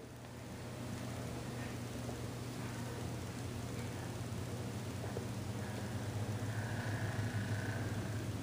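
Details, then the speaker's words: Lenco L75 turntable motor hums with a rough, gritty grind from an overtightened nose plunger screw. The grinding stops when the screw is backed off, which is the correct setting. "now usually you adjust it until that grinding is gone so what i'll do here is do this and back it up until right there and that's where you actually set it so if i tighten it you hear that grinding"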